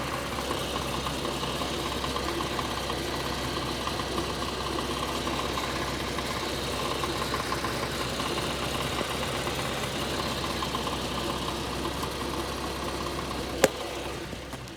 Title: 2011 Infiniti G37X Sedan Rattling Noise? Help?